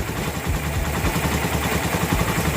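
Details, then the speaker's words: Raider 167cc with 66mm bore and 28mm Keihin carb, steel bore in break-in, pipe leak covered: low steady idle, soft even exhaust beat, no ticking or knocking; quiet, healthy normal idle. "So takpan ko to. Tahimik na tahimik yung makina."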